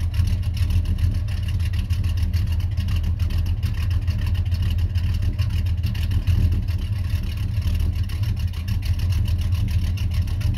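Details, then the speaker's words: 1991 Chevy Silverado C1500 350 V8 with Summit cam and 650 double-pumper carburetor, idling around 600–650 rpm: deep, steady lopey burble, even firing with no pops or misses; normal smooth cammed idle. "so right now it's at 600 650 um rpm but it runs pretty smooth you know it don't pop and it's got a nice sound to it"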